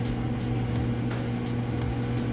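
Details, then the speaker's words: Roper electric dryer on high heat timed dry, no vent hose fitted: steady even hum with low drone and smooth tumbling, no knocks or scraping; blower running normally, just louder without the vent hose. "now typically it would actually be a little bit quieter once you get your vent hose on the back you wouldn't hear that blower motor sound so it'd be nice and quiet a smooth operation"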